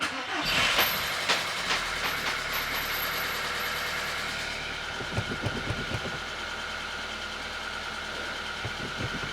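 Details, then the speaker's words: Audi A2 1.4 16V AUA petrol, first start in five months after timing belt and burst water pump replacement, jacked up in neutral: starter churns about four seconds, then catches into a quiet smooth idle, no knocks; sounds better than before. "and it's running and it's running quietly oh my God okay this is exciting it's running it's smooth sounds a lot better than it did before"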